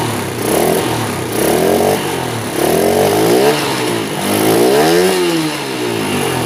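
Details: Honda Sonic motorcycle, hard starting and won't rev: short blips swell then sag without climbing freely, engine bogs; carburettor doubted, low compression or vacuum-operated valves suspected, not confirmed.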